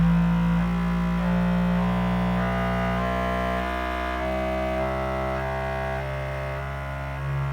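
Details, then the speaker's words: New Bambu Lab P2S 3D printer running its motor noise (drive) calibration during first setup: loud humming motor tones step between pitches in a steady pattern. It was even louder on the previous run. This is a normal calibration. "And now it seems to be running a calibration to make the motors quieter. Well, it's still doing the drive calibration."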